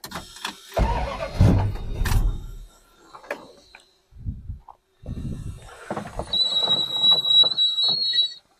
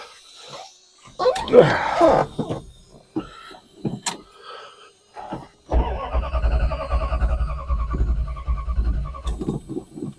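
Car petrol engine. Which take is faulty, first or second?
second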